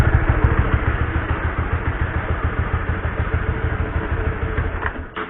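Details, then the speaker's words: Honda CB150R motorcycle before cleaning its dirty stock sprockets and chain: a coarse, uneven rattle over the low engine throb from the rough-sounding drive chain. Dirt is suspected, not confirmed. "Jadi awalnya suara rantai gua tuh kasar guys."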